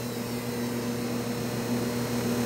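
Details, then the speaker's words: Electric power steering pump from a 2005 Toyota MR2, fitted to a Mercedes 230SL electric conversion: slightly noisier on switch-on, then steady quiet hum; turning wheels under load raises rpm and volume, then rpm drops low and quiet; normal. "when it first comes on it's a little bit noisier than it slows down now as we turn the wheels and there's a load on it it will pick up an RPMs and also a little bit noise volume"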